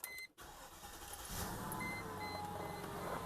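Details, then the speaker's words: Mercedes ML500 W163 with M113 V8, 273,000 miles, after replacing the auxiliary water pump: brief pause then the engine catches and settles into a steady, even idle with no knocks or misses; running strong, healthy start. "Look at this thing. 273,000 miles and running strong. I love this car."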